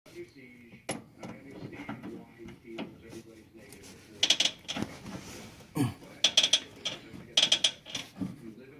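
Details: 2004 Ford Mustang, whole rack and pinion moving as the steering wheel is turned: irregular dry creaks and clicks in bursts from bad rack mounting bushings; fix is replacing the bushings.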